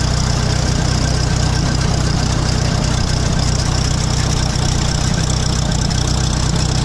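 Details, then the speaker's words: 1966 International 806 diesel tractor with a Gehl one-row corn chopper idles low and lumpy, loping with an uneven chuff about three times a second; owner says it evens out once loaded and working; rough idle. "I know I know it sounds like it's not running very good and that's obviously not but once you get it powered up and working that sounds all it kind of gets itself in time"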